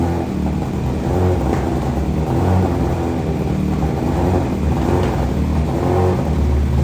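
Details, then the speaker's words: 2023 BMW M1000RR Competition, fully cold start with exhaust mods on stock unflashed ECU, error warnings shown: deep, raspy, uneven burble that stumbles and pops before settling; rough running from untuned ECU after exhaust modifications. "wow that sounds horrific that sounds real bad again that's with no tuning on here it's finally settled down now but man that was horrific the way that started up"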